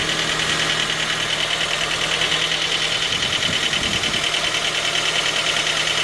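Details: 2010 J20A engine at cold idle: a steady, dull knock under light ticking. The knock appeared at 10,000 km under warranty, and dealer checks found nothing. It grew louder after oil changes. Cause was a scored crankshaft journal on cylinder 3, and the block was replaced.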